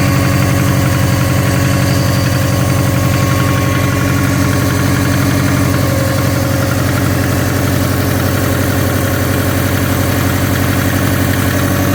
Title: SF5 Forester Engine Knocking